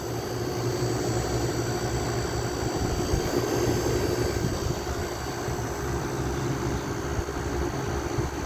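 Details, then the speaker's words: EQK 8000 BTU window air conditioner with triple-row coil, after replacing a rusted-through capacitor that was grounding to the frame: steady low hum with constant fan whoosh and frost on the coil; compressor running normally. "I missed the sound of a recipe the recipe on this thing it has a much nicer sound than it does on my Crosley"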